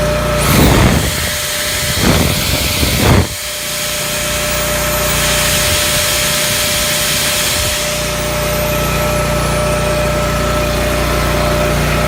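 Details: Coleman 5,000 W generator with Briggs & Stratton engine, serviced, lubricated and adjusted after governor replacement (part 277-42201-33), rpm checked with tachometer: a few loud bursts, then constant even drone at steady pitch; normal governed run.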